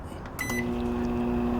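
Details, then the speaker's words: Microwave oven that made a horrible noise, after installing the replacement turntable motor and pressing Start: a beep, then a smooth, steady, quiet hum with no rattle or grinding; normal quiet operation. "ahí está calladito miren bien calladito este motor no está haciendo nada de ruido"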